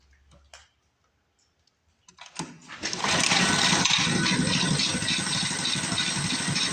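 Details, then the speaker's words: Cheap second-hand small-engine mini bike after stalling on its test run: raspy, uneven beat struggling to hold a low idle; owner thinks the idle is set too low, possibly a fuel issue, before raising the idle with a screwdriver. "I think I got the idle set too low. Alright. Let me grab a screwdriver and we'll try to idle her up a little bit and see if that makes a difference."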